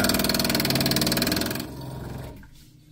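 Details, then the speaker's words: Loud rapid hammering chatter, about four knocks a second, then fading, as water flows into a supply hose; suspected to be a washer partly broken off inside the fitting, not confirmed; water hammer. "That is really loud. I've dealt with this once before and it's likely the washer in here has part of it has broken off and it's causing that water hammer as water flows into the to the supply hose here."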